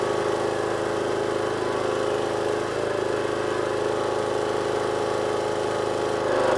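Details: Small single-cylinder power washer engine, water on and new lance fitted, previously would only run on choke: steady even note, no surging or hunting; now running cleanly off choke.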